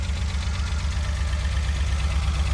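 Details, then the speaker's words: Renault Alpine GTA Turbo revived from storage, started with starting fluid and running rough: lumpy uneven idle from an injector not clipped in all the way; once reconnected the rpm rises. "That injector wasn't clipped in. You could hear the RPM come up."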